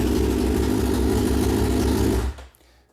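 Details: 2006–2007 Suzuki GSX-R 600/750 four-cylinder started after installing an aftermarket Amazon ignition switch, with the fuel pump priming first: smooth, even idle for two seconds, then a clean switch-off, no misfires or rattles; the new ignition works.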